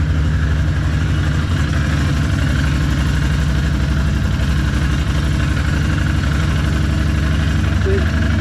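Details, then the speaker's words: Can-Am ATV started after installing radiator relocation and Wild Boar snorkel kits plus service; maintenance-required light still on needing reset; steady even low idle with regular pulse, no knocks or misses, normal idle. "Everything sounds good. Everything seems good."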